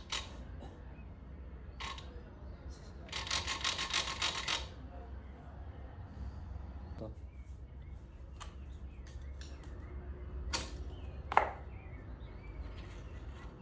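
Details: 110cc motorcycle kickstarter: short burst of rapid dry clicking as the lever swings, a ratchet noise; fixed by rotating the kickstart shaft slightly forward, holding it by hand and reassembling.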